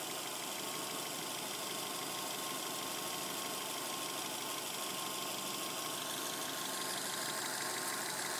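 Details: 2007 Subaru Legacy spec.B: quick bright tinny metallic clatter at a steady rhythm, top-end sounding; owner can't find the source.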